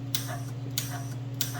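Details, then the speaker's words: Lincoln Powermig 210MP welder just after gas valve replacement, welder powered up with the wire spool loosened: sharp clicks about every 0.6 s over a steady hum and gas flowing, the new valve opening crisply; normal. "Yeah, that's much better. You can hear that click now. That'll be much nicer. So that works."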